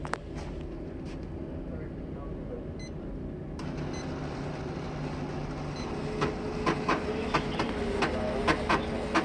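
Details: HP M5035 laser printer running: steady grinding tone with sharp, uneven clacks about once a second during printing.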